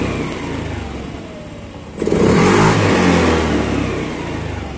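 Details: Honda New Scoopy that stuttered (brebet) after ECU reset, TPS reset and altitude mode, now after cleaning the injector with carb cleaner via a syringe: low steady idle, then brisk smooth revving without stumble or hesitation; throttle response healthy.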